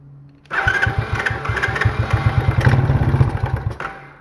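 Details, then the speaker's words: Small free ATV, choke on, after electrical fixes: the engine catches on ether, revs unevenly about three seconds, then sputters and dies. The carburetor is suspected clogged and is to be torn down. Starts then stalls. "no I was just running on ether all right well so we're going to have to tear the carb down cuz it looks like that's not it's uh clogged up or something cuz it ran on ether a little bit but that was it"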